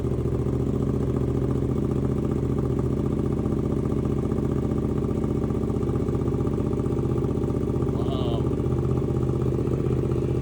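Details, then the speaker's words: 2024 Suzuki GSX-8S first start after installing Delkevic 9" oval carbon full-system exhaust, baffle out, radiator drained: loud deep even exhaust pulse at steady idle, no knocks or misses; healthy. "I love that sound. This is what the baffle out, and it's got such a deeper, richer sound to it."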